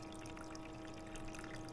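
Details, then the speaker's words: Aldi Ambiano portable ice maker running its clean cycle with mild detergent water: quiet steady pump hum with water trickling through, sucking and circulating water through internal parts smoothly, no rattle or strain. "From there, we're going to, if you can listen, you can hear it sucking the water."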